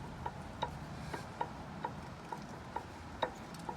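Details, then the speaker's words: Dodge Ram 1500 CV axle rocked by hand: light sharp clicks about twice a second from play on worn splines, early stage, customer felt nothing; new axle planned, hoping inner shaft is fine. "they'll start to get clay in the splines there, and you'll hear it as I grab this and move it. That's because it's moving on the splines"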